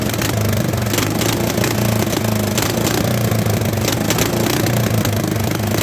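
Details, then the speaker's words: Late-1960s/early-1970s Bolens tractor pulled from a barn after sitting around 20 years, started with bypassed ignition: single cylinder thumping at a steady idle with loose clatter on top, rough but running fine. "and he needs a car clean out a little bit but hey not that bad for uh i don't know jesus hadn't been sitting in there for 20 years"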